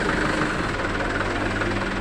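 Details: Canter truck manual transmission after repair of a growling fault caused by bearings: steady, even gearbox hum over the engine with no growl or grinding; normal transmission running.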